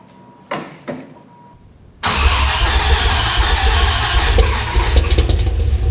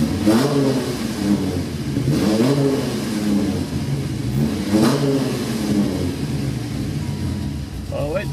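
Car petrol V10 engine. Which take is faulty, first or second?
first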